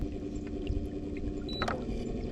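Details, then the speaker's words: Minn Kota Riptide Terrova 24V 80lb Advance GPS trolling motor, under a year old, at speed 4.5 after grinding at lower speeds: steady low hum with water wash, ordinary electric motor noise, nothing wrong. "4.5. Now that's just like the electric motor noise. I'm not too worried about that."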